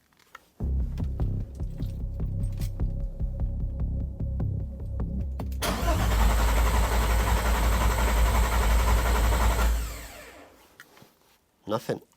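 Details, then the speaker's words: VW Caddy MK1 with a swapped VR6 3.2, first start attempt with coil packs connected: the starter cranks steadily for several seconds but it never fires, and no fuel pump whir is heard because the ECU isn't triggering the fuel pump relay. "I can't hear the fuel pump going on I'm just going to have a quick look and see what I can find"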